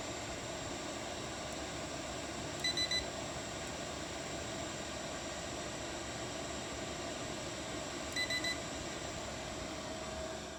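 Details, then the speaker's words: Chinese diesel heater bench-tested with the control unit in manual mode (thermostat bypassed), fuel pump turned up to full, up to temperature after about an hour of running: steady even combustion roar and constant fan hum, no surging or popping; normal running at full output. "thing's running at full blast it's up to temperature it's probably been running for I'd say somewhere around an hour or so right now"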